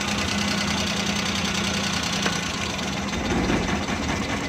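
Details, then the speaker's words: 2017 Suzuki Bolan/Ravi Euro van, idling with plug wires pulled one at a time; lumpy idle with irregular knocking miss; cylinder 1 spark plug not working, so it won't pick up or rev: misfire. "ये इसका पहला नंबर वाला प्लग काम नहीं कर रहा, जिसकी वजह से गाड़ी पिक नहीं कर रही थी, रेस नहीं ले रही थी। तो गाड़ी बहुत ज़्यादा मिसिंग कर रही है।"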